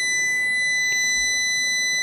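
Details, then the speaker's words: Amstrad CPC 464 main board, multimeter on continuity across a faulty RAM chip that runs very warm: unbroken high-pitched beep for about two seconds, dead short, unlike the good RAM; chip to be desoldered and replaced. "if we check the dodgy rum it's getting crazy warm can you hear that we got a dead shot"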